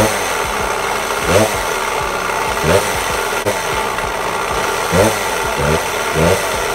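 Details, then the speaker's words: 1992 Suzuki RM125 two-stroke dirt bike idling rough: dull rattling rumble underneath with blips roughly every second, attributed to worn crank bearings rather than the piston; it smoked heavily, and crank bearings and seals are to be replaced. "if you listen in that noise if you hear is not the piston it is they the the bearings and on the crank so I'll be replacing the crank bearings along with the crank seals"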